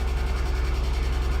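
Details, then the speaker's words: Salvage-title wrecked 2001 Mercedes-Benz SLK320, 6-speed manual, first start after bypassing immobilizer with twisted wires: steady, even low idle, smooth regular beat, no knocking or ticking; car alarm going off, coolant low (owner suspects radiator hit). Normal idle. "So it starts, but the car alarm's going off. That's awesome."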